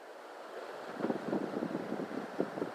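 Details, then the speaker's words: 1990s ceiling fan of unknown make, possibly Crest or JC Penney, on high speed: steady airy whoosh from fast blades with faint soft rumbles; it shakes and wobbles a little on high but runs normally and moves plenty of air. "Alright, now here's high speed. It does shake and wobble a little bit on high. High speed's pretty fast on this fan."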